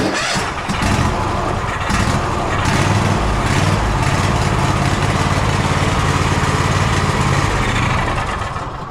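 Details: Gravely ZTX 42-inch zero-turn mower, 160-hour service, started after checking the badly caked air filter: the small engine settles into an uneven, lumpy beat and still runs rough. The carburetor is next to be checked.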